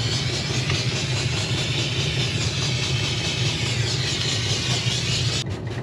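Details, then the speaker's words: Diesel-fired Steam Jenny 200 Plus steam cleaner after repair, running with soap drip feed: even low burner rumble with soft steady steam hiss, no sputter, consistent burn, no smoke, hot water flowing; normal operation. "you can hear the a little bit of hissing for the steam"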